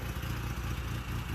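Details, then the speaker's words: Van after cracked exhaust manifold repair and catalytic converter fitted: low, even engine note with a smooth pulse, no ticking or exhaust puffing, no longer sounds like a 3-cylinder; normal running. "So we got something now. It doesn't sound like a 3-cylinder oddball hot rod."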